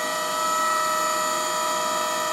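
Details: Bridgeport Romi EZ Path S 17" x 40" CNC lathe, spindle at 3000 rpm: clean, steady hum with no grinding, rumble or knocking; spindle bearings sound healthy, normal running.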